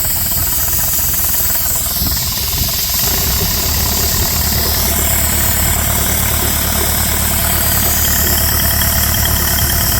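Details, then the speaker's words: Dake square-piston steam engine with reversing valve on a capstan drive, running in reverse on compressed air (stated 110 lb); steady, even chuffing about three beats a second with a low thump under it, no knocks or rattles. Normal running. "Okay, the air compressor shut back off but it does use up the air which means it's a steam hog. So there you have the Dake square piston steam engine."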